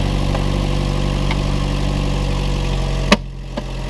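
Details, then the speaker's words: Chevrolet Cruze/Trax/Sonic 1.4 after installing an aluminum valve cover to fix PCV valve issues that caused lean codes and a MAP reading fault: steady, even low idle with no hiss or sucking noise from the top end. "it's installed so now we don't have that noise anymore we don't have the sucky sucky noise anymore seems like we fixed the car"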